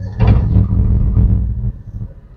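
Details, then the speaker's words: Cold morning first start: engine catches and holds a high, even roar around 2000 rpm, then drops back; normal choke-style fast idle. "तो यह आप देख रहे हैं इसके जो आरपीएम है यह तकरीबन 2000 तक चले गए हैं तो इसकी रीजन क्या है और यह होने चाहिए या नहीं होने चाहिए"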